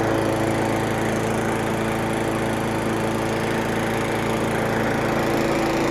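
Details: Craftsman 917.388834 push mower, Briggs & Stratton Classic flathead single-cylinder, after carburetor work and priming, possibly wrong OHV-type spark plug: runs good at a steady, even pace, no surging or missing.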